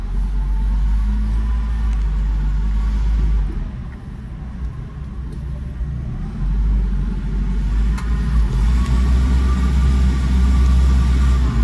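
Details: Car idling with AC on; loud heavy, uneven low rumble from a worn AC compressor; not noisy before, compressor may need rebuilding.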